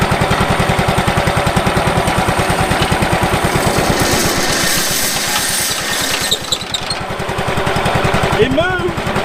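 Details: Late-1990s Wood-Mizer LT15 sawmill engine, long-stored, after maintenance, still running despite its age: steady even low thumping about 3.5 beats per second, no misses or knocks: normal running.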